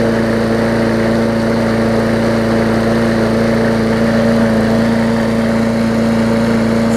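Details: 2014 Bolens push mower with Briggs OHV engine after fitting correct spark plug and replacing missing carburettor jet ball plug; even steady drone, constant pitch, no surging or hunting; normal running.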